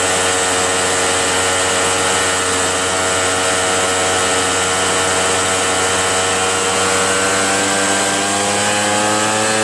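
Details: RedMax EBZ8050 gas backpack blower two-stroke after new piston rings fitted for no compression (rings very tight, hard pull, hard start): steady high-pitched howl with fan roar, pitch creeping slightly as revs settle; running smoothly and evenly.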